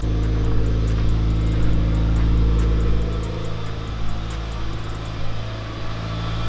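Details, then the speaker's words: Mitsubishi Evo IX turbo petrol engine on first start after a new transmission and clutch, still cold so idling slightly high, AFRs on target: smooth, even idle with no knocking, ticking or odd noises. "This thing's running absolutely amazing. As you can hear, no weird knocking, no ticking, no nothing, no weird noises whatsoever with the engine."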